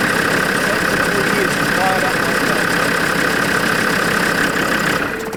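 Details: Land Rover Discovery 2 Td5 diesel, sitting 3 years, after fuel line repairs and priming: cranks and catches, then settles into even, steady run with no misfire or knock. Normal start and idle.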